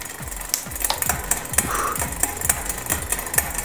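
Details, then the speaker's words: Bicycle rear derailleur with full cable housing, after turning barrel adjuster out to add tension, one shifter click: sharp irregular clicks as the chain jumps on the cog; chain skipping from under-tensioned cable, still needs more tension. "So, got one click at the shifter and the chain's making a little more jumping sound. So, it sounds like we're getting a little closer."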